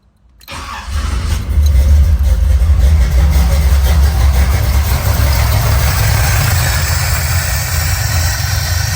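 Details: Engine started, settling into an uneven, lumpy idle, running on only two of four injectors until the gas is pressed, because the progressive linkage setting is not enabled; idle on only two injectors.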